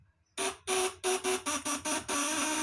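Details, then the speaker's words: 1 kg 1000 W unit on 24 V: a choppy buzz cutting in and out in uneven bursts, then settling to a steady drone. The lower vibrator (platinum) contact is still loose and is tightened while running. "Ini masih kendur bawahnya nih kencengin ya"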